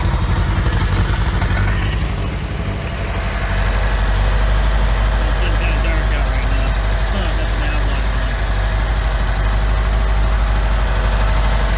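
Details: OMC 2.5 L 140 hp sterndrive in a 1981 Sea Sprite, on water muffs after sitting, temperature rising: a low, even burble settling into a smooth, steady idle with no misses, knocks or rattles. Normal idle.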